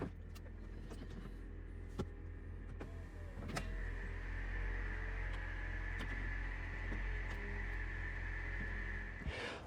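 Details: Mercedes R230 SL55 folding hardtop (vario roof), tested after joining the S69/2 and S69/3 micro-switch wires behind stuck-halfway fault B1263-001: smooth, steady electric motor hum with soft latch clicks, no strain or stalling while opening and closing; normal roof operation.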